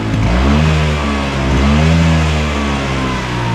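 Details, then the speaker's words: Healthy Vespa scooter engine revved as an example of normal running: clean rise and fall in revs, even and crisp with no coughing or stumbling on throttle, unlike one with ignition, fuel supply or carburettor trouble. "Nah jadi Vespa yang sehat Itu harus seperti ini guys Jadi kalau misalkan kalian gas ya atau distorter itu suaranya harus halus"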